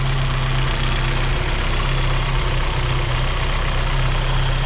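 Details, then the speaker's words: Vauxhall idling smoothly and evenly with no hiss after a split vacuum pipe that was upsetting the idle was refitted; the pipe will need replacing if it splits again. "It's idling happier now. We're not getting a hiss out of that pipe anymore."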